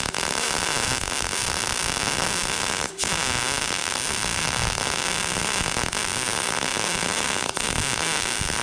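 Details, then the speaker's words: A Bestarc MIG145 MIG welder lays a bead that was judged to sound perfect. A steady, even crackle with a light frying sizzle and no pops; amperage was later found too low, causing some burn back. Normal MIG welding arc. "It will a little bit, but you you can hear it kind of crackle. It won't won't start to really sizzle unless you're hogging into it."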